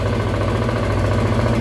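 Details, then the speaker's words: Zontes 125 single on a test Bosch MSE 6.0 ECU before flashing, just started in winter with battery charger attached and warming up: steady even low putter without knocks or misses; idling healthily. "Dam mu się troszeczkę rozgrzać, zobaczę jak pracuje na obrotach. Jak widać, motorek ładnie pracuje."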